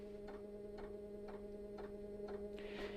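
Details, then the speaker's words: Narrowboat Webasto diesel heater on its first start attempt after fuel filter cleaning: light even tick about twice a second over a faint electrical hum, the fuel dosing pump working normally. "That ticking sound you can hear is the fuel pump working. Fuel coming through, hopefully. Not too much air. That sounds good."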